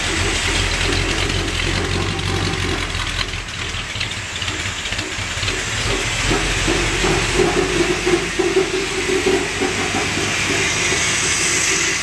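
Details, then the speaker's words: 440 HP engine at first start-up, with lifter noise already settled and very little black smoke: a rough, loud idle with irregular heavy thumps as the exhaust pipe bangs against the underside of the car. Exhaust pipe hitting the underbody. "Okay, that loud banging noise is the exhaust pipe banging up on the underside."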